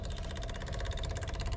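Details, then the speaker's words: 7.3 diesel Ford F250, newly installed Facet electric fuel pump replacing the stock mechanical pump, key on engine off: rapid even ticking about seventeen per second as it primes and fills the lines; a leak was found afterward; normal priming. "oh i hear it she's feeling she's filling pretty good all right so i'll let this fill and then"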